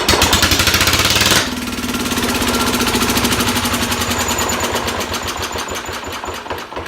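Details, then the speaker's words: Sears SS16/SS18 tractor engine, untouched, started on the first rope pull with carb cleaner in the carb throat and the exhaust cap just removed: a harsh start, then a loud, even, rapid single-cylinder beat with no misses. It runs well. "Holy crap, that thing's loud. But it runs. First pull."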